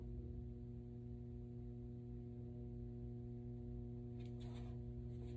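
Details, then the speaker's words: Tube amplifier switched off standby: quiet at first, then a steady low buzzy hum that grows louder while only one main power tube lights up. Hum fault of unknown cause. "Now it's starting to hum. Only one of the main fuses, tubes is lit up. Now it's starting to get louder"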